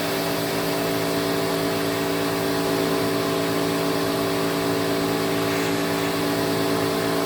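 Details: Electrolux Twin Turbo Super Z551 vacuum, about 1986: steady motor whine with harsh droning brush-roll hum; greased bearing sits off-centre due to melted thread in the head, noisy on wind-down, likely to ruin the belt.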